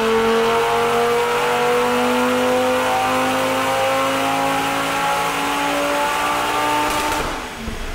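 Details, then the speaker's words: 2019 Audi RS3 2.5 five-cylinder turbo, GPF model, Stage 2 tune with downpipe on stock turbo: clean, strongly rising note through a long full-throttle pull, no rattle or stumble; healthy after boost rescale, 518 bhp, 740 Nm. "that's how it should sound in it final results guys 518 brake horsepower 740 newton meters of dock"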